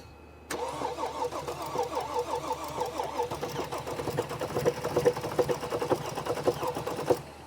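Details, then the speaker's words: 2014 Mercedes GL350 3.0L diesel with crank/no-start and stalling complaint, heard under the hood: uneven, lumpy firing with irregular chuffs and the engine shaking badly, never settling to idle before dying; cause undetermined. "I hope you can see the engine shaking. This engine is shaking very badly. Start one more time. Whoa, that's bad."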